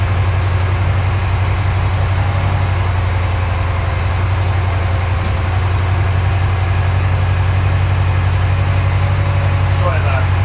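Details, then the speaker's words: Porsche 928 V8 with its fuel mixture badly off, during mixture adjustment. Deep idle with an uneven beat and stumbles; it misses a lot, especially when revs are raised, and the revs wander all over. "so it's missing a lot like when I um accelerate that way so probably two weeks a little bit weak because I picked the revs up it's sort of all over the place"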